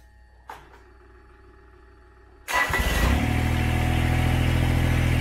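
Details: Kubota BX tractor diesel, demonstrating fuel cut-off solenoid: faint click, then brief crank and immediate catch, settling into a steady even run; clean normal start.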